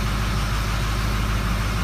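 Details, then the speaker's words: 2005 diesel truck, 115,000 miles, idling just after its first start following a head gasket and stud job, with no coolant, left to warm up. Steady, even low diesel rumble with no knocks or misses. Normal idle. "We'll just let it run and warm up."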